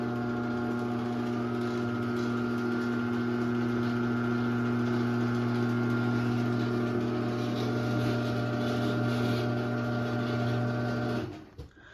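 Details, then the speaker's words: 2001 Chamberlain 7320 1/2HP chain-drive garage door opener running door down: steady motor hum with faint irregular popping/ticking from sprocket, stopping with clunk; owner suspects chain slightly too loose and needing adjustment; popping noise while running. "You can kind of hear the sprocket make some popping noises. So yeah, if it's making that, you might need to adjust the chain."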